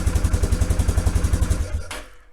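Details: Polaris single-cylinder quad with a Lucas starter, wired direct through a master switch, being checked after the fuel pump flooded the motor and locked it up: it putts along at a steady, even eight or so pulses a second before shutting off. It sounds like it's running properly.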